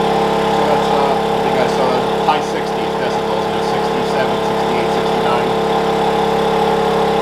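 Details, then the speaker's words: Wen 56203i 2000 W inverter generator (made 7/2020), eco mode, about 1375–1400 W load, mic right next to it; steady, even drone, no hunting or surging, holding pretty steady. "now we're right next to the generator it's about 1375 watts seems to be holding pretty steady"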